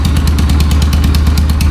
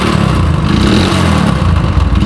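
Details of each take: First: Yamaha YBR 125 ESD single-cylinder after full engine restoration: low, even thump at a quick steady idle, no knocks, ticks or misses; normal healthy idle. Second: Yamaha YBR 125 ESD 2017 model at idle: heavy, loose clatter rattles through the engine like stones tumbling inside, as if something has come loose internally; badly worn internally, engine opened for full restoration.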